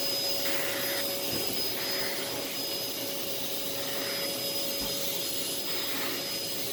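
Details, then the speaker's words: Thrift store vacuum: smooth, even airy whoosh with a steady high whine and no rattles or surging; the motor runs healthy and fairly quiet, with good suction. "so yeah this one i really like it's a lot quieter it does have a bit of a smell to it"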